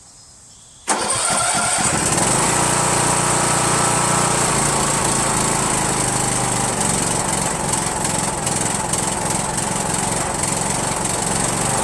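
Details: Rebuilt spare Briggs 17.5HP engine (two broken synchro balancer counterweight links replaced) repowering a Yard Machines lawn tractor, first start on choke with no belt on the pulley. It runs unevenly with irregular popping backfires; owner suspects the carburetor.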